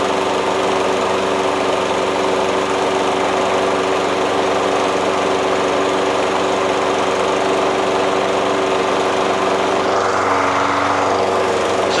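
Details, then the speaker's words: Toro Recycler self-propelled mower with a Kohler XT675 6.75 single-cylinder engine and its factory metallic brake pad ignition kill. Steady, even drone with no misses, then it dies off near the end; the mower runs fine. "so it seems like it runs just fine and it starts just fine"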